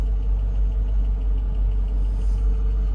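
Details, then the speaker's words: 2004 Mercedes S55 (W220) after new fuel pump and filter, first run after sitting about a year: smooth even low idle with steady rumble, no stumbles; runs normally, though a belt or pulley may tick slightly. "pre-safe and active I don't even know what that means pre-safe and active all right so the car runs guys that's the that's the point it runs it runs for now"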